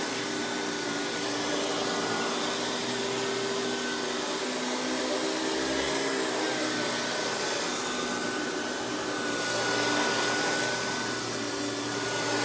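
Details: Hoover PowerMax Supreme 850 S3609 canister vacuum, 1990s, non-original hose, on high speed with power brush: steady, even motor roar with a constant high whistle and brush hum, no surging or rattles; runs very smooth, not the quietest; normal running.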